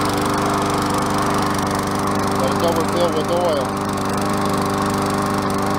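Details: MTD Yard Machines self-propelled mower with auto choke, after refitting slipped transmission belt, oil change (overfilled, dirty oil) and air filter cleaning; steady even drone at constant speed, no misses, surging or knocks.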